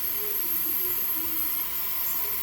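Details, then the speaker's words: T-fal pressure canner reaching 5 psi on its gauge: steady, high, airy hiss of steam venting evenly, no sputter or rattle; normal operation. "So this has reached up to 5 pounds of pressure. The steam is coming here."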